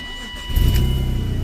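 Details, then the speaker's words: 1997 BMW E36 328i after automatic-to-5-speed manual swap: cranks and catches, then a puffing, ticking pulse rides the exhaust note at idle; exhaust leak from a reused exhaust gasket. "first I do have a exhaust Lake you will hear right now when I start the car"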